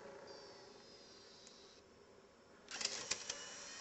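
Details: Nintendo Wii with a Metroid Prime 3 disc: a faint motor whir, then a quick burst of light clicks and a clatter as the tray pushes the disc out. Eject works normally, though disc insertion sounds abnormal and the console is going for repair.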